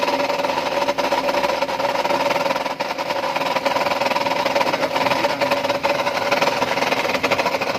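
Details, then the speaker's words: Chevrolet Cruze 1.8 petrol idling, customer reports loud noise from front of engine; busy whirring clatter and ringing tone, the part had backed out and was hitting the shock. "ม.คอาหารสคันนี้นะครับลูกค้าแจ้งเสียงดังหน้าเครื่องและเดี๋ยวก็ลองมาสตาร์ทดูนะครับว่าเสียงจะเป็นยังไงนะครับ"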